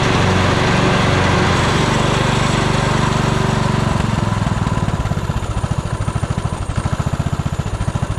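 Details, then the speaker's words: 1998 Craftsman LT1000 lawn tractor, about 28 years old, with key switch and possibly carburetor issues: slow, lumpy chuffing sagging to an uneven plod; rough, very low idle. "Um and it doesn't want to idle perfectly. Although it does sound like the idle is very low."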